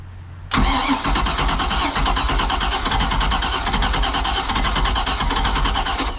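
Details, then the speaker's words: Boat (model "1930", name unclear) with electric fuel pump: starter churns with fast even rhythm but engine never catches after pumping gas; owner suspects flooding. "all right well it wants to run a couple more pumps did I give too much [Music] gas probably flooded it"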